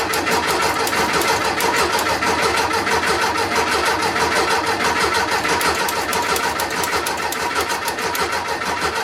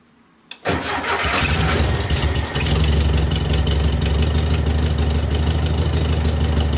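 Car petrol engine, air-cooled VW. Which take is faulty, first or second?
first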